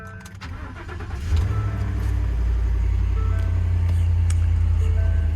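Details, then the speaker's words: 2016 pickup, 117,000 miles, 4x4, auction truck: cranks briefly, catches at once, settles into smooth, even low idle without knocks or misses; normal cold start and idle. "That sounded really good cranking up. It's real smooth, also."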